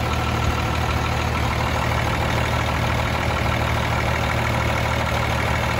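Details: Freightliner FLD120 with Cummins M11 diesel after replacing the fuel water separator and fitting clear fuel lines: no air bubbles in the fuel system, steady even idle with smooth low clatter, no stumbling or hunting; running normally.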